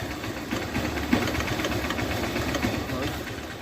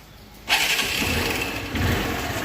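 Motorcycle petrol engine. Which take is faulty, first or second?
first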